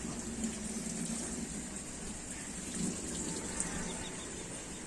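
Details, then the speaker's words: Coin-operated washing machine after repair (earlier showed PE code and no sound): even, steady hiss and gush of water pouring into the drum with no stutter or cutoff; water fills normally, machine working again. "น้ำเข้าปกติครับใช้งานได้แล้วครับผม"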